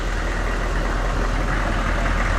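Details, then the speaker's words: GMC/Chevy OBS 6.5L turbo diesel, about 150,000 miles, after fixing a fuel leak under the intake manifold near the injection pump: loud steady even idle clatter, no misses, no fuel leaking, no check engine light. "but I think we're good I don't have any fuel dumping out from underneath sorry it's loud old 65 turbo"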